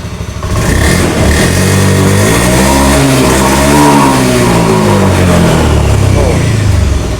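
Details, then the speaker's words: Honda Beat FI scooter (ACG starter): the MIL flashes code 5 long, 2 short, and the revs rise sluggishly and fall back on throttle. Caused by not yet broken CKP crankshaft position sensor wiring found by wiggling it; the electric starter won't crank. "kalau misalkan muncul kedipan 5 alamat dua cepat biasanya dari sensor sensor ckp yang berada di SP ataupun sensor h e"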